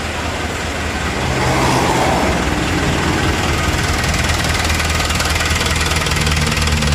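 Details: Hino Dutro truck diesel at idle with low power despite fuel pump plunger already set to maximum: heavy, uneven thump about four times a second with coarse clatter on top; rough running, cause not yet pinned down.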